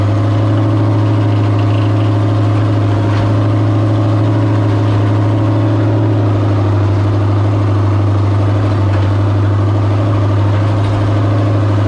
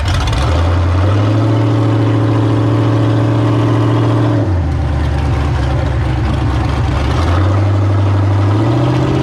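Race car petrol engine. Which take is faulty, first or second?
first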